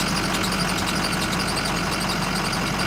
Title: Squeaky Noise?